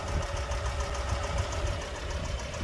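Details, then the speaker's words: 2018 Mercedes-Benz A200 (W176) auction car with 160,000 miles, idling: an uneven low thumping knock under the idle rumble, steady at constant engine speed. This is an internal engine knock of unknown cause, and coolant is also leaking. "doesn't sound very good all right can you hear the knocking sound"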